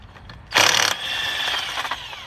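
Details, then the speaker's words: Impact wrench used on a tire with a slow leak, in 24-degree cold; loud rapid hammering burst then fading spin-down whir, rough and dry, likely short of lubrication. "I need to I need to lubricate this gun it's all dried up sounds like it's dried up"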